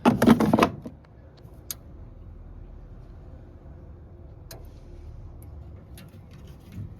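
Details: Indesit Innex XWSC61252 washing machine: a few sharp relay clicks spaced seconds apart in near silence, no motor hum follows as it keeps retrying; worn motor brushes stopping the motor.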